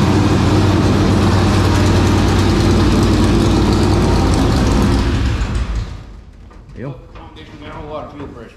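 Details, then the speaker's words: 465 cubic-inch race engine cranked back up after sitting three years, hunting an oil leak onto the belt: strong steady V8 rumble for about five seconds, then it sags and dies as if fuel-starved; a fuel pressure issue is suspected, not confirmed. "okay so we might have a fuel pressure issue"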